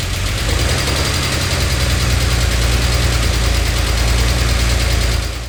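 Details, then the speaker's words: 2006 Subaru Outback 3.0 EZ30, code P0304 cylinder 4, after coil pack swap didn't help; lumpy uneven idle missing a beat about three times a second; cylinder misfire from valve spring retaining clips that came off. "As you can hear, the engine is still as sick as it was."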